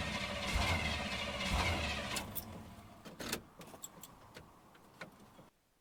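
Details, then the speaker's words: Chevrolet Suburban (rings said to be shot), cranked on purpose to diagnose why it won't start: about two seconds of even starter cranking with no catch. Crank, no start; the owner has a theory but the cause is unconfirmed. "I'm not trying to make it fire. I'm trying to I'm trying to uh see why it won't start."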